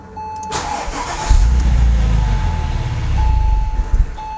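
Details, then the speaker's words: 2004 Porsche 911 (996) Turbo during an oil change with fuel pump fuse C4 pulled to clear the fuel rails. It catches and idles for about three seconds, then sputters and dies: engine stalling from fuel starvation. "Now, with our fuse removed, we go ahead and try and start the car. It'll should run for a second and then sputter and die."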